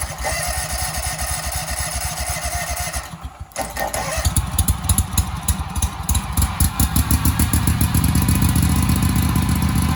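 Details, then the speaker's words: Husqvarna commercial zero-turn mower that sat 4 years in storage, running without its air box cover: catches after a stumble into a lumpy, uneven, rich-sounding chug and starts extremely hard; owner suspects the missing air box cover, unconfirmed; fuel dripping somewhere. "all right the blades work but it does start extremely hard it might need that air box cover on there"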